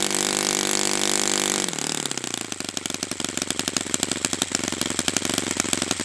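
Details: Brand-new customer Saito FA-100T twin on a test stand during a break-in run; high-pitched buzzing drops to a lower, even rapid beat and holds steady, running clean and perfectly. Normal running.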